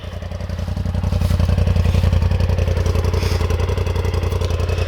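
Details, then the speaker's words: 2021 Polaris RZR XP 1000 Turbo, two years old: steady, even low thrum at about 220 pulses a minute with no knocks or misses; idles cleanly and healthy. "She sounds pretty pretty cool. I'm not going to lie."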